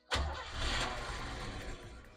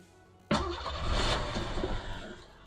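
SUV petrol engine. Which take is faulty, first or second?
second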